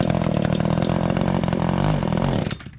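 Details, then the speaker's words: Echo two-stroke tool, just started, runs rough about two and a half seconds then suddenly dies; buzzy stall, owner guesses something in the carburetor, unconfirmed, thinks it's fixable without the dealer. "okay so that's not normal is what you're saying no okay well so what do you think it is if i had to guess i'd say something in carburetor"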